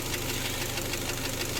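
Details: Kia Sportage G4KD engine running on gas (LPG), 150,000 km, before teardown: steady, fast dull knocking through the idle, piston knock from scuffed cylinders.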